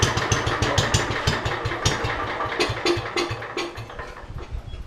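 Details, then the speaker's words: Roughly 40-year-old (1977 or 78) Lincoln Weldanpower 150 genset welder just after a cold rope start: loose, uneven thumping about three beats a second that sags; owner thinks the idle is a little too low and will add more choke. "Well, maybe the idle's a little too low. We'll give her a little bit more choky."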